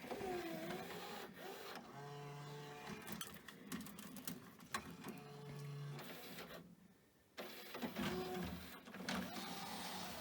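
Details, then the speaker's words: Pioneer DVL-K88 laserdisc player bought as junk from Japan, loading a laserdisc after CD and DVD: short motor whirs and clicks with brief steady hums as it moves heads between formats; normal disc loading. "It's obviously doing quite a lot in there. It's moving uh heads around out of the way obviously between the different formats that you're kind of loading in."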